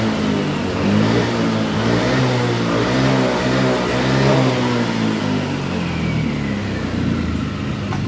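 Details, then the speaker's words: Yamaha Lexi 125 scooter, no fault codes, weak on hills: revs climb and fall but feel held back at full throttle, never fully opening up. "bisa didengar sendiri sama teman-teman pada saat kita gaspol jadi seperti ada tertahan ya"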